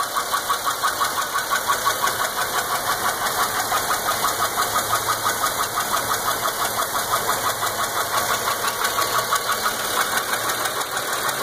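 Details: 2003 Impala 3.4L (3400) V6 with over 293,000 miles and rocker bolt threads repaired, sharp chirpy tick about three times a second, not belt related, apparently from the back of the engine; bad lifter and worn cam lobe.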